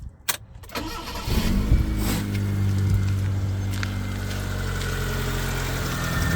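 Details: 1994 Proton Saga 1.3 GL with a Mitsubishi 12-valve Magma engine, morning cold start: brief cranking, then it catches and settles into a smooth, even idle with a steady low hum; normal cold start and idle.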